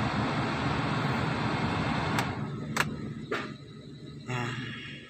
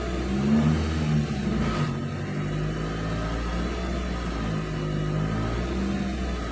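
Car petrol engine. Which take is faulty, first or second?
second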